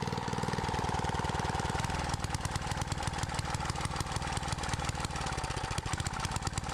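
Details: Trash-found edger said to burn oil, after carburetor screw adjustments: small single cylinder pops along about three beats a second, irregular and stumbling; rough running, owner suspects carb screws need more adjustment.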